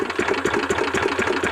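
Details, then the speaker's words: Two-cylinder racing lawnmower engine for a 50 mph lawn tractor build idling: fast uneven thump with irregular extra beats as the second cylinder catches only occasionally; intermittent misfire, owner suspects loose spark plug wires or a bad coil. "What? How is it running like that? I think it's on one cylinder, and that right there is probably a catch on the second cylinder."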